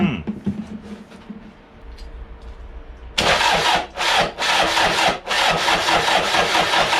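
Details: Toyota 1KZ diesel in a YN65 Hilux conversion, rebuilt starter with new brushes: starter churns steadily at about 140 beats a minute with short pauses; never fires, cranks, no start.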